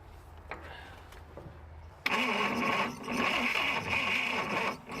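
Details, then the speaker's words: Buick Super with nailhead V8, long-sitting, carburetor just refitted: starter engages with a loud, labored whir in slow, uneven beats, dragging and draining batteries, cranking too slowly to start. "Damn, that starter is just dragging too hard. That starter is just instantly killing every battery that I have got is they're just [sighs] it's dragging too much and running the batteries dead and I can't crank it over fast enough to get anywhere."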